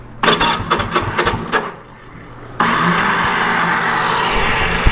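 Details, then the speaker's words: 1974 Honda CB360 with pod filters, after carb tuning and clearing fuel-line vapor lock, electric starter: slow, uneven cranking for about 1.5 seconds, pause, then engine catches; starter always weak, later runs on both cylinders. "That's what the starter always does."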